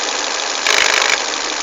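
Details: Volvo S40 idling: sudden half-second burst of sharp metallic rattling that then settles; attributed to a broken VVT wheel, not confirmed by ear.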